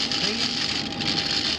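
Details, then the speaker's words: Indoor HVAC air handler with a loose induction (draft inducer) fan: steady whir with a dry rattle like a maraca; the furnace has been short-cycling, possibly related. "singing like a maraca and what this is done is it's been causing the furnace or it might be in relationship but this furnace itself has been short-cycled"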